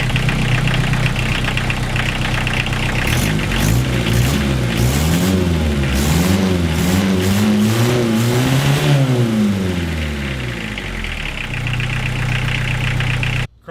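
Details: Diesel-swapped Chevy LUV after glow plug swap, starting in neutral with clutch in: catches and runs, revs swing up and down a few times, lugs down, then settles into even idle with no misfire or knock; normal diesel cold start.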